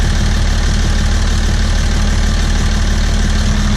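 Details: Welding rig diesel engine after its injectors were replaced: a deep, steady idle with an even low rumble and no stumble or knock; normal idle, now running smoothly.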